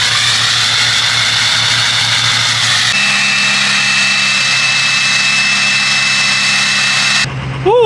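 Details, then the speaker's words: 2006 Ford F250 6.0 Powerstroke diesel V8 after installing a FASS 220 lift pump, cold start; steps up to a steady even high idle near 1000 rpm with no knocks or misses. Fuel pressure 69 psi versus 55 before; healthy. "I swear guys I love the high idle on these trucks uh it just revs up to pretty much much 1,000 RPMs it's just High idling right now"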